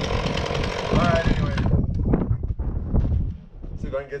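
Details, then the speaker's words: Husqvarna 450 X-Torq chainsaw with new bar and chain, first start: briefly screams then burbles and stumbles, loading up rich on the top end; owner later suspects carb just out of adjustment; rich running. "yeah she's running a little rich so let's get some advice"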